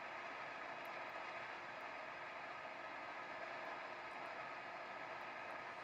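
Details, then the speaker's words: AWA transistor radio after refitting the speaker during restoration: steady loud hiss across the band, no station or voice received; still super noisy and dead, cause not found. "Yeah, it's still super noisy and not picking any stations up."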